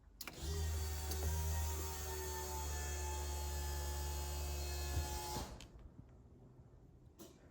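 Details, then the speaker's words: RB30 turbo converted VN Commodore, tank with an E85 liner, first key-on: a steady low electric hum for about five seconds, then a clean cut-off; normal fuel pump priming, with the fuel pressure regulator still needing adjustment. "So yes, fuel pumps work, ECU has power."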